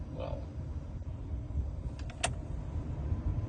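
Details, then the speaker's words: Car air conditioning blower fan after being removed and cleaned of accumulated dirt that had made it noisy: soft, steady low airflow rush with no rattle, scraping or squeal; normal blower operation. "es normal. Ese sonido sí que es normal."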